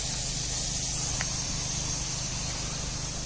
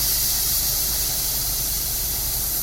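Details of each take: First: Sprinkler system winterization blow-out using a mid-size compressor kept under 100 psi. A steady dry hiss of air comes through the last head in the zone with no spitting water, showing the zone is blown empty. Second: Sprinkler zone blowout with compressed air through the timer zone, no manifold found: steady loud air hiss with rough sputtering edge; first and second heads empty, the farthest third head still holds water.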